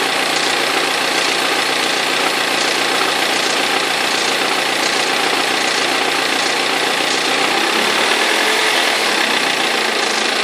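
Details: 2003 BMW E46 320d diesel at idle with a rattling knock about twice a second over the clatter; the perished crankshaft pulley vibration damper is knocking, and both belts eventually fell off.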